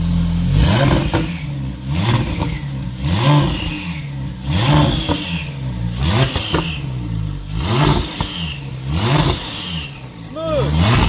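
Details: Porsche 911 Turbo on a COBB Accessport stage 3 tune for 1,300 cc injectors and 93 octane, coolant fittings replaced. Repeated sharp revs climb and drop cleanly about every 1.5 seconds, no popping or stumbling, no more blue smoke. Normal running, fine tuning pending.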